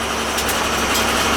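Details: Old pancake boiler with a new oil burner motor fitted, whining thought to come from an upside-down circulator pump: short, steady rushing roar of fan and flame with no whine or squeal; burner running normally.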